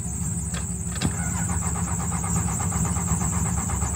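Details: 2001 Dodge Ram 2500 Cummins diesel plow/tow truck turns over steadily on the starter, chugging evenly, but never catches; injector lines found cracked, battery being charged.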